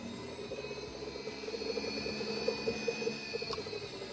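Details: Golf cart converted from resistor coils to a solid-state controller, bench-tested at 38 volts with a test pot box: the solenoid clicks, then the drive motor whirs steadily in reverse with no grinding or surging. Normal motor run.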